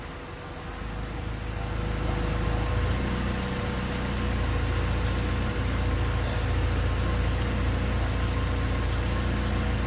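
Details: Honda D16Y8 engine on P28 ECU, idle after new spark plug wires and cleaned IACV reinstalled: low rumble swells and sags unevenly, stumbling near stall; hunting idle unchanged by wires and IACV, cause not found.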